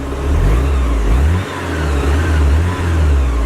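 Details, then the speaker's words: Porsche 944 warmed up after a jump-start; the drive belt had been wet and was heard earlier. Revved to check the belt, the engine blips up smoothly with a deep, even growl and no belt squeal or chirp. "so it's give it a revver to see if you can still hear the belt"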